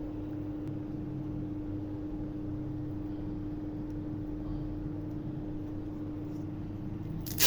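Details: DC "missile" water pump's car self-starter-type brushed motor, after sanding carbon buildup off the commutator, powered from a computer power supply for a test: quiet, steady hum at one constant pitch, no crackle or dropouts; motor spins smoothly.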